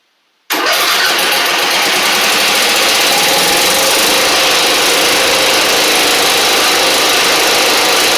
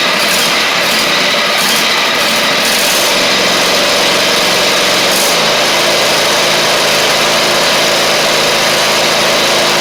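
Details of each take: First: Husqvarna LGT2654 Briggs V-twin mower engine, in the garage: it fires after a short crank into a ragged, lumpy idle with smoke. The left cylinder is dead despite visible spark; a pushrod, cylinder head or valve guide problem is suspected. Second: Husqvarna GTH2654 (Craftsman GT5000 type) lawn tractor twin, first run after gas tank setup, previously running on one cylinder: fast, steady buzz on both cylinders, no stumbling or missed beats; sounds healthy, exhaust smoking off built-up gunk.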